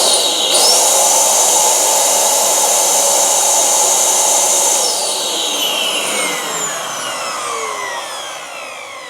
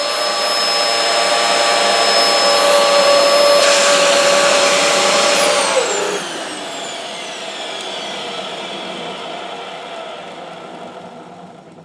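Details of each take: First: Dyson DC07/DC04 vacuum motor switched on for a test after cleaning, filter off: spins up to a strong, even high whine, holds steady, winds smoothly down, no rattle or grinding, healthy. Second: Dyson DC07/DC04 vacuum motor during service: steady high whine with a slight rough edge, pitch falling as it spins down; a little noisy, owner plans to oil it, cause unconfirmed.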